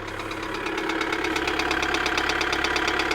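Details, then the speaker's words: 2008 Kia Sedona 2.9 CRDi diesel (J3) with fault code P0016 and check engine light: sharp regular knock about three per second over a steady idle; bad engine knock, cause not confirmed. "that's a bad knock anyway put that off at the moment"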